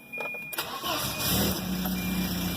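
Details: 1993 Volvo 240 after the stuck-key no-start was traced to a broken plastic piece in the shifter: brief cranking, then the engine catches and settles into an even idle with a steady low hum.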